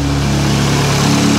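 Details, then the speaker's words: Audi S1 after fitting a complete replacement wiring loom, started via the starter trigger in neutral with no coolant: short, strong, even engine note with steady low hum; runs cleanly with no misfire or knock. "so we have a running Audi S1 which is fantastic absolutely fantastic"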